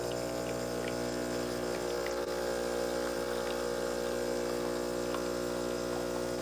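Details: Bravo espresso machine pulling a double shot into a mug under the portafilter: steady, even buzzing hum from the vibratory pump throughout the pour, no surging or sputtering; normal extraction.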